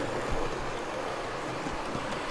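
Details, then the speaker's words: Dapol Class 22 diesel model locomotive D6331 (4D-012-005) on DCC with Imperium controller, running at a slightly higher speed over diamonds and points: quiet even whirr and rail rumble, no surges or stumbles, very smooth running. "so good to get a sense for this locomotive running at a slightly higher speed - neurosis a really impressive all the way through"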